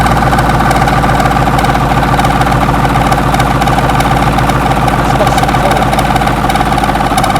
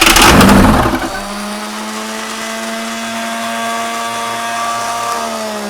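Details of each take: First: 6.2 L GMC V8 diesel, first start after sitting 15-20 years, glow plugs heated: steady, even low beat with solid firing throughout; running fine on its own. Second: 6.2 L GMC V8 diesel unstarted for 15-20 years, heat being given during starting attempts: a second of harsh cranking clatter stops dead, leaving a thin steady electric whine; the starter motor jammed, starter killed.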